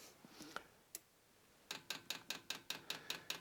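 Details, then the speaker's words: Vevor diesel workshop heater in a garage at about 0–1 °C, dosing pump re-primed via the arrow buttons after a suspected fuel leak; crisp, even ticks about five per second, normal fuel pump priming clicks. "donc en attendant pour réamorcer la pompe je vous rappelle que c'est les boutons flèche du haut et flèche du"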